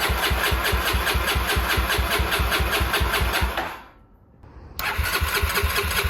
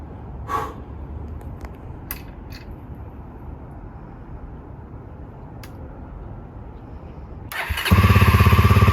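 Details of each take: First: 1989 Honda NX250 after restoration, fresh 10W40 oil, coolant and battery; starter churns at an even beat about twice a second, pauses, then cranks again without catching: no-start from wrong carburettor pilot jets. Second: 1989 Honda NX250 single-cylinder after restoration; quiet until the starter catches, then an even steady beat at idle with a few throttle blips: normal running.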